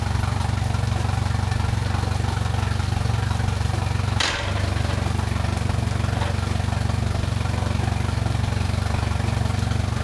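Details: Mercury Pro XS 115hp 2.1L outboard on a Mako 18LTS, brief first start after a 100-hour service with new fluids, impeller, fuel filter, plugs and thermostat, filter primed by key cycling. Steady even idle, firing beat about 200 per minute, no knocks or misses.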